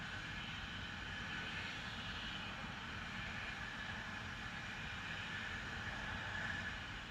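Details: Continuous loud hiss, strong upper-mid band, low rumble underneath; Spooner Industries, Ilkley, 6 April 2021, 8.45am, recorded within a neighbouring property boundary, audible over 100m away; cause suspected, not confirmed.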